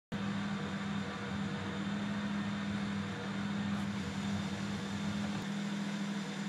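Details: 335i rough idle: steady petrol idle at 800 rpm dipping as low as 650, with a low drone that sags and roughens; cause not yet pinned down.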